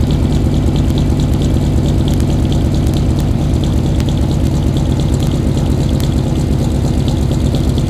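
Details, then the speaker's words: 1995 Chevrolet Suburban, cold start at about 20 degrees: a loud idle with a heavy, lumpy, uneven lope, sounding like an aggressive cam; runs rough when first started cold. "hello out there cold day today about 20 degrees but we cold start the suburban kind of runs funny when it's cold kind of sounds like it's got a cam in it or something"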